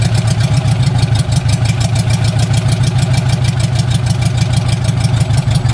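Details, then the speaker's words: Barn-find bug-eye Sprite stored 30-40 years, after starter rebuild, idling on its own with only exhaust manifold fitted: loud raw even popping idle, no misfires; sounds not too bad. "and it's idling on its own now actually it sounds not too bad it does not have any exhaust on it right now it just has just the exhaust manifold"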